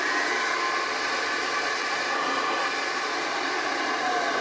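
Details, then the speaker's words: Overhauled 1930s Hoover 725 upright vacuum cleaner (700 series, nearly 90 years old, stored in a shed 30+ years), running on a temporary lead; steady even rushing whine, no rattles or speed wobble — normal running, still picks up well. "I think you'll agree it's a really nice machine actually. Even though it's old, it will still pick up well."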